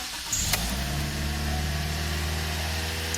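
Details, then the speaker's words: 2010 Toyota Matrix right after throttle body cleaning, accessories and AC off: engine holds fast, even high idle around 1550 rpm versus normal ~850, no hunting or misfire; sudden extra air makes the computer run it high. "Do you hear how that computer is like, what is going on? This wasn't like that. I have so much air suddenly, so it was using more fuel."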